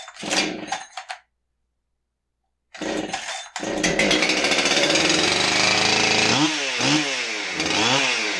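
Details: Husqvarna 372XP chainsaw test run after stop switch replacement (it previously needed the choke to stop): fires after two pulls, crisp even idle, then revs up and down cleanly several times; running normally.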